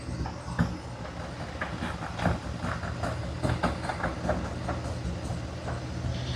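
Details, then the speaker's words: 2020 Ford F53 motorhome chassis, 7.3 V8, code P0304, idling at normal operating temperature: low rumble broken by uneven ticks and stumbles about twice a second; cylinder 4 misfire, runs fine cold, heavy water from exhaust. "exactamente ahí me está diciendo que el cilindro número cuatro está fallando"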